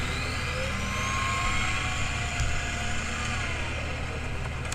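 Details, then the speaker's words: Old LBZ-or-older Duramax diesel daily driver: thin high squealing howl rising and falling with revs, metal-on-metal sound that started soft and progressed; failed dry idler pulley bearing. "sounds like metal on metal that makes sense as to what does it now that now that this is here it does does sound like metal on metal action that's pretty loud"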